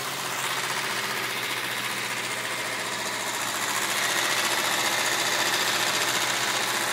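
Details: BMW M3 E36 idling, noise appearing after a high-speed run along with a burning smell: quick even sewing-machine-like ticking, almost four beats a second, over the hum; abnormal engine noise, cause unclear.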